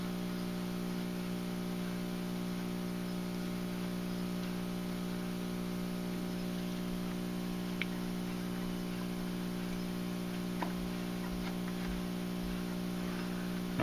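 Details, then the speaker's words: National NC-60 Special AA5 tube radio, first power-up on the bench at about 103 V and 0.2 A with a short wire antenna on broadcast band: only a loud, steady mains hum, no station; failed filter capacitor needs replacing. "so we're getting nothing but home so it's definitely a filter cap gonna have to be replaced here before we're gonna get anything i think"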